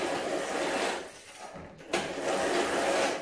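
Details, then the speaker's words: E-bike disc brake just after a pad change and caliper centering (6 Nm): a light rhythmic scraping that swells with each wheel turn as the buckled rotor wobbles between the new, not yet bedded-in pads. "So, ihr hört, die schleift jetzt noch ein bisschen. Ihr müsst die Bremsbeläge auch einfahren, auf jeden Fall."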